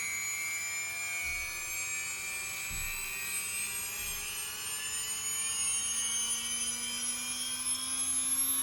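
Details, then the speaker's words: LOSI 1/4 Promoto-MX motorcycle RTR, stabilizing flywheel switched on: thin high whine climbing steadily, about 10–20 seconds to reach speed then evening out, smooth, no rubbing; normal spin-up. "and it's still going maybe it takes about 10 15 maybe 20 seconds to get up to speed but then you can tell it sort of evens out"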